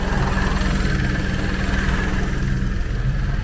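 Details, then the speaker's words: 2018 Vauxhall Crossland X, 33,000 miles, after repair of engine noise complaint, oil and filter change and reassembly, idling with AC on, vent at 9.6°: low steady idle rumble, compressor engaged, even pulse, no knocks, rattles or whine. "you can see it the compressor working it's cooling it down now with air conditioning the more you use it the better it gets and that is a fact"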